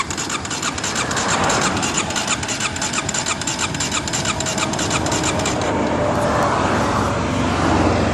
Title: Wont start